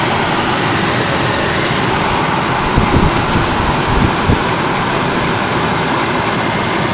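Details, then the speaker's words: Ford Focus cabin blower, newly installed replacement motor at high speed with air conditioning on: strong, even rush of air, no squeal, rattle or ticking; normal operation. "Perfect. I can run air conditioning. See and feel the dust flying through here."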